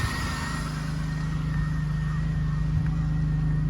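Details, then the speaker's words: 2003 Pontiac Bonneville, base 3800 V6, 180,000 miles, after new ignition coil: smooth even low hum with steady pulse, no ticks, knocks or misses. Normal idle. "Sounds pretty good. It's just the base Pontiac Bonneville."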